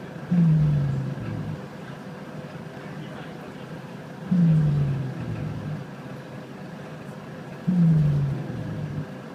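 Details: On SBS Bus 197, a low rasping snore-like groan from the back swells every three to four seconds over the bus hum, like snoring into a mic; source unknown.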